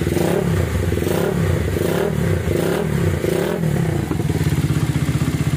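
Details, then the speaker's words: Minerva R150 Xrod single-cylinder after replacing destroyed bearings and the piston, with a new piston and timing at T, formerly noisy with white smoke: revs up then settles to an even smooth beat with no knock. It is normal running. "Suaranya adem. Oke, mantep ya."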